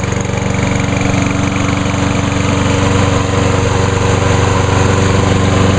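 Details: Grandfather's walk-behind lawn mower on a hot day, brake handle clamped with vice grips: a steady, even single-cylinder drone with a firm low thump and no misses or surging. It now runs much better, almost as well as the 10606; normal running.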